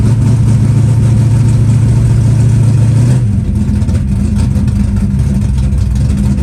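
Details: Green Chevelle, started at about 20°F in snow with a likely dry carburetor. It catches quickly and settles into a steady low idle without choke. Normal, healthy cold idle.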